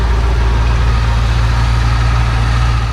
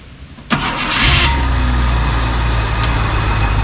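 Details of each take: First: Barn-find 1966 Ford Thunderbird V8, sat at least 32 years, restarted after a fouled plug was cleaned: deep, even rumble with all eight cylinders firing. Still slightly rough, with a faint lifter tick. Normal idle. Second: 1966 Ford Thunderbird V8 barn find, sat 32+ years, after cleaning the number eight spark plug that wasn't firing: cranks, catches, idles with uneven, slightly lumpy beat and a slight lifter tick; still a rough idle.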